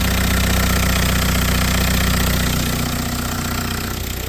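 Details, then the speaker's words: VW Passat diesel started after sitting for a while, after refuelling and a battery fix: loud idle with a heavy, low, steady clatter about four knocks a second. The owner suspects the tandem vacuum pump, unconfirmed. "je ne peux pas parler là, c'est vraiment bruyant, je veux dire, le bruit fonctionne, mais il y a un problème avec la pompe Tandem et le vide lui-même"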